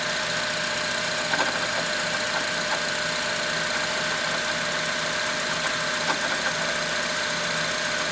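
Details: 2006 Honda Element idling: faint high-pitched whir with scattered light ticks; owner suspects timing chain tensioner, unconfirmed.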